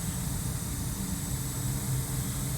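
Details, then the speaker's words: New Mitsubishi three-zone ductless system with branch box and ceiling cassettes at first startup, outdoor unit door off: faint steady low compressor hum, no knocking, rattling or surging; running quietly, normal. "running I know y'all probably can't hear you might barely be able to hear the compressor cuz I got the door off but this is this is unbelievable"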